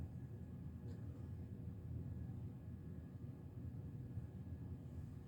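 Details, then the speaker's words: 52" Hunter Original ceiling fan, c. 1986, original steep blade pitch, motor needing oil: a soft, even low hum with no clicks or scraping. The bearings seem okay and it runs well. "does have a steep blade pitch that's original so nothing's changed with that runs pretty well so far bearings seem okay"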